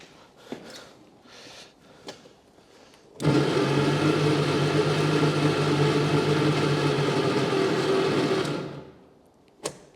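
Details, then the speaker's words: 1954 Austin A30 barn find laid up since 1971, being cranked after spark was confirmed: starter churns steadily about three beats a second for five seconds but the engine never fires. "that doesn't want to start so it's gone now one eternity later so we don't know Claire"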